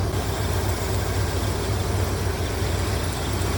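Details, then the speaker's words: Chevrolet C10 small-block with Holley Sniper EFI, after fixing high idle: propane sprayed around for vacuum leaks gives no rpm rise; steady even low rumble, no misses, hunting or surging; normal idle, modulator suspected as earlier leak. "didn't do anything sounds like Fred's running fine"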